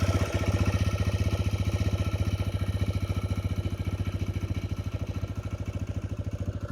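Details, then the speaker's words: TVS Raider 125 three-valve motorcycle at 15,600 km, at its fourth paid service: steady idle with quick, even tick-tick over the low engine beat; tappet noise from excess valve clearance, needs adjustment. "So ఈ tick tick అనే sound వినిపిస్తుంది కదా ఈ tick tick అనే sound ఏందంటే బేసికల్గా టాపెట్ noise అన్నమాట"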